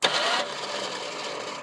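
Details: 1975 Ford Granada revived after years of neglect, cranked from the solenoid: harsh metallic grind under half a second as starter engages, then no cranking; pinion hitting missing flywheel ring-gear teeth.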